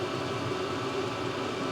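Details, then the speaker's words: Vevor 8 kW diesel heater test run in 12 by 14 ft shed: constant airy roar, steady mid-pitched fan note, no surging, ticking or rattles, hot air, no error codes; normal running. "everything's working as it should nothing's making weird noises or anything like that no error codes"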